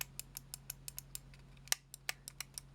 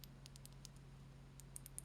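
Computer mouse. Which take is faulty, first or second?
first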